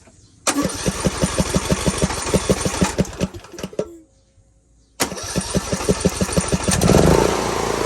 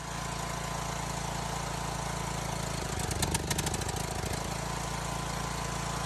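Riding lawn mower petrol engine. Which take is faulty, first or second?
second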